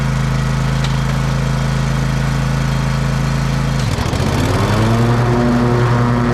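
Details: Exmark Pioneer zero-turn mower after deck belt reinstalled (popped off hitting a stick), oil change, service and new air filter: steady engine drone, deck engages with a brief dip then settles, no squeal or grind; belt stayed on, pulleys quiet.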